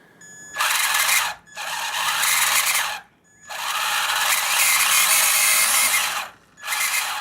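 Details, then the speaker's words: Traxxas Slash/Bandit RC car, Titan 12-turn 550 brushed motor, long used without cleaning: shrill high whining squeal in short bursts as the motor spins up; most likely dust buildup needing cleaning, though possibly internal. "It's a pretty ominous sound. And it could be something internal, but more than likely you probably are going to just have to clean your motor."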